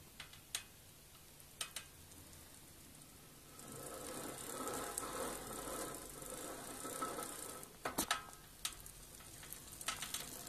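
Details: 700c bicycle rear hub: gritty crackling clicks when pedalling forward under load, but not when freewheeling or pedalling backwards.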